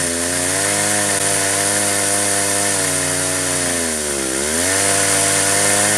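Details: Stihl chainsaw on an Alaskan mill pulled by a dual-pulley winch, ripping 3-inch oak slabs from a 28-inch log with a ripping chain: screaming long cut, pitch sagging hard around four seconds then climbing back; bogging under heavy load from uneven cranking.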